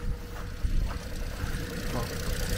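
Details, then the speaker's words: Used car three-cylinder engine (three spark plugs counted) at idle: slightly lumpy, throbbing idle with uneven low beat, which the three cylinders explain; normal three-cylinder idle. "Ten jde, jak kdyby šel na 3 válce, ty vole."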